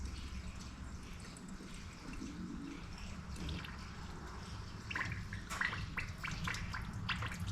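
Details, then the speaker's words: 2019 John Deere Gator XUV835R (Chery SQR372 engine, 12,000 mi) after an engine swap following power loss with an antifreeze smell. During coolant bleeding, soft irregular gurgles grow busier as trapped air bubbles out of the cooling system. "you got to bleed it from here I can hear it bubbling just so slightly"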